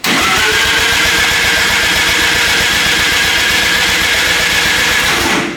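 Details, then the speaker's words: 13B turbo rotary in a replica Lamborghini Diablo, recranked after an ignition timing change (timing suspected off): steady starter churn with the turbo hissing as it spools on crank, close but never catching, extended cranking without starting. "it's the turbo is spooling on crank all right uh close we're going it's close"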